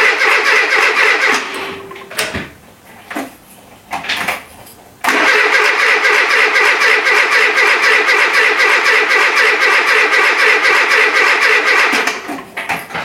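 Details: Renault Trafic with junkyard C1J S 7000 engine, unrun for about 15 years, rebuilt and refitted, with start pilot sprayed: starter spins engine evenly at about four beats a second, never catches; owner suspects ignition reversed, timing completely out.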